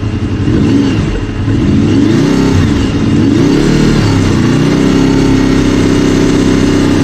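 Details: Honda VFR800 VTEC V4 at about 56,000 miles, warm above about 80C: uneven knocking heard only between 1500 and 2000 rpm, seeming to come from the right side, possibly the rear cylinder. Cause unconfirmed; it runs well with no smoke or oil use.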